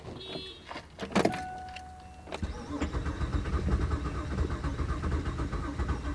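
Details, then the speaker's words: Engine that ran low on oil, overheated and died on the road, cranking but not starting; uneven, limp chug that never catches, no pressure at radiator overflow or oil cap; suspected blown engine with low compression. "engine cranking over we got the top off the radiator overflow there's no pressure coming out it's not a big blow"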